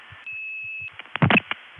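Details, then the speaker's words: 1981 Olney, Illinois senderized step-by-step tandem call: a steady high single tone holds well over half a second before clicks and bursts; the fourth CCIS supervision flash stretched into a long flash, with CCIS going on-hook about three seconds late. "okay there you heard it that was the fourth flash on the call and the CC is wet off-hook Heights and when the only trunk went on hook the CC is did not follow right away it would have gone on hook maybe three seconds later enough to charge me"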